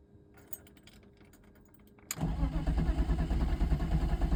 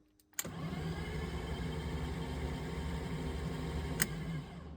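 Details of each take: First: 1997 BMW 328i (E36) off the road for seven years with rat nests found, first start attempt after engine reassembly. Starter churns steadily at about three beats a second but never fires; cranks without starting, owner next checks the crank sensor. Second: 1997 BMW 328i E36, off the road seven years, after no-crank fix via EWS mod, spark plugs and coils removed: turns over evenly about four beats a second, no pops, bangs or grinding; clean, healthy crank.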